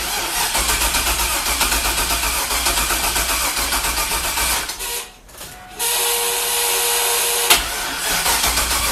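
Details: 2000 Chevy F-body Camaro, junkyard 5.3 LS with turbo and 1000cc injectors, on a jump box: starter churns steadily near four beats a second without catching, from wrong manufacturer injector data.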